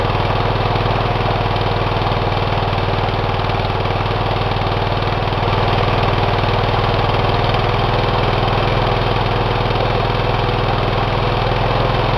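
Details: Twin run with one cylinder head removed, after a damage check following oil in that cylinder: lumpy chuffing about four beats a second with an open, puffing rhythm, running on one cylinder. No damage found.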